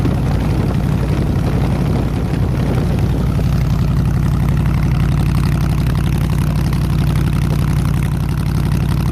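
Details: 302 V8 powering an air compressor, after the troublesome HEI distributor was swapped back to the old points distributor and the carburetor rebuilt: low, even idle with a steady beat, no knocks, ticks or stumbles; running smoothly.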